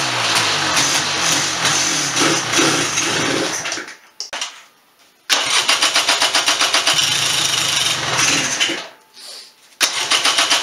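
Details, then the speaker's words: 1996 Polaris Sportsman 400 two-stroke ATV after top-end rebuild, jump-started on dead battery: idle carries fast metallic chatter that sounded internal but was the broken recoil pull-start assembly and lever rattling, pan also cracked. "okay so before when you heard me start off the engine idle fear heard something rattling around look at that so all the recoil broke and this little lever the next time to hear broke off"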